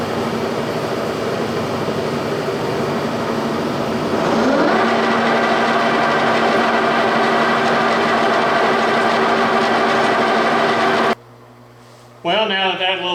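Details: G&L facing head on a 340T boring mill after fixing runout (spindle bearings fine): smooth, even hum rising as it spins up near four seconds, then a clean steady tone with no knock or rumble; running true.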